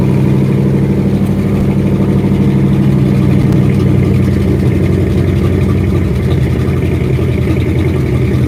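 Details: 1967 Ford F250 crew cab after fuel tank cleaning and new fuel line and filter, filter now staying full: deep, steady low idle with an even rumble and no stumbles or misses; engine now idles fine.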